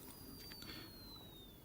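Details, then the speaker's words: Seiko 6309A watch movement during reassembly, gear train fitted before the pallet fork, mainspring wound slightly; faint thin whistle falling in pitch as wheels spin down, no clunking; gear train runs free. "I can't hear any clunking. Everything's sitting exactly as it should be."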